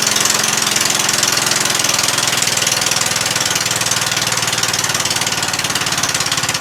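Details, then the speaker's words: Murray 14.5 42-inch lawn tractor after a cleaned gas tank, new battery and reconnected fuel line: fast, even patter holding steady speed with no misses, no smoke, no leaks; normal running. "about that huh runs good no smoke no smoke yet this is idle all the way down"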